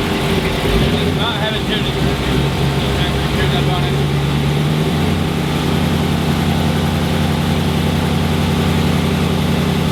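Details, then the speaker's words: 2006 Chrysler 300 SRT8 6.1 Hemi, first startup after stage 2 cam, valve springs and retainers install: deep, choppy idle with a rhythmic lope about twice a second, the normal sound of the aggressive cam. "alright guys so we just finished up the cam install on this 6-1 Hemi and we're about to do the first startup"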